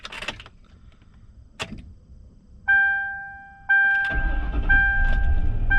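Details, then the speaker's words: 2004 Mercury Grand Marquis GS, 4.6 Ford modular V8, 41,342 miles: two chime tones, a short crank, then the V8 catches cleanly and settles into an even, steady idle; healthy start. ".6 Ford modular V8. Nice and reliable. Adequate power. V8 sounds."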